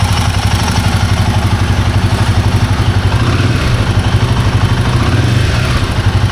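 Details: Himalayan 450 Sherpa single-cylinder engine idling with a light, fairly even clatter of about four taps a second on top; timing chain noise suspected, unconfirmed.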